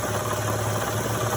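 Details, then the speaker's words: Honda Odyssey V6 idling after an engine reinstall: low steady hum with a faint uneven knock from below. A Dayco automatic timing belt tensioner failed within 3,000–4,000 miles; to be replaced with a modified manual tensioner. "So I don't know why it failed, but I'm pretty sure that's the issue. I'm gonna show you here in a moment. You can kind of hear the knocking noise down there."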